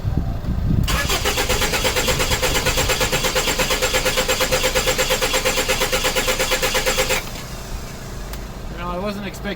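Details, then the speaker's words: 1985 Toyota van abandoned for 11 years: even starter cranking about three beats a second for six seconds, never fires; carb cleaner planned next. "it to start but we got it to crank let's get some carburetor cleaner"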